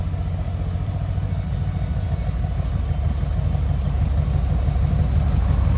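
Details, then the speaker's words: 1970 VW Westfalia air-cooled flat-four with new Weber 40 carburetors and a freshly tightened belt: runs smooth and even as revs climb, no misses or knocks, with 50 psi oil pressure and 4 psi fuel pressure; healthy running. "Let's start it up so you can hear it. sounds really, really good. Those 40s are working really good."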